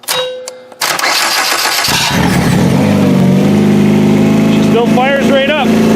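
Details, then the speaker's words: Demolition derby car started by jumping the starter with a screwdriver, booster pack on a dead battery, fuel pump on: short crank, catches cleanly and settles into a steady, even idle with no stumble; starts and runs fine. "my pump's got enough pressure to get this thing to run everything's going on pretty good I think"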